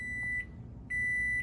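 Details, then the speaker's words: GE Nautilus dishwasher beeps continuously, repeating long high beeps; persists with the door closed and after a breaker reset; the cause was a broken wire to the door latch limit switch, and repairing it fixed the beeping. "so i've got a ge dishwasher um it's a ge nautilus and it just sits here and beeps at me"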